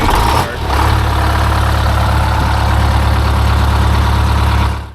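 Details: Detroit Diesel 8V-71 two-stroke just restarted with a new starter (part 6924N): deep, heavy rumble settling into a steady low idle without stumbles or knocks; running normally.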